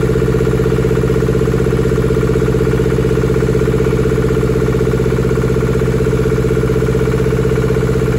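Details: German air-cooled Deutz F2L511 two-cylinder diesel, ex-forklift, first run after sitting about 5 years: steady, regular low idle beat, evenly spaced with no stumbles or knocks; running properly.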